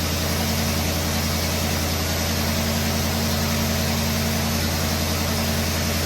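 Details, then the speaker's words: 1969 Pontiac Firebird Trans Am under restoration, hot-wired start, choke set, factory-style exhaust, warming up: even steady V8 idle with deep mellow exhaust note, no knocks or misfires; normal idle. "Now, if you want to know what that exhaust system sounds like, it doesn't sound too bad for a factory style exhaust. It has a nice little tone to it."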